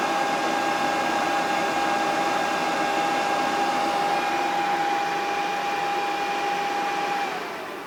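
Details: PS3 on Rebug 4.65 at power-on, light blinking yellow and green before turning green: a loud, steady rushing with a fixed high whine for seven seconds, then spin-down. Loud fan noise at startup.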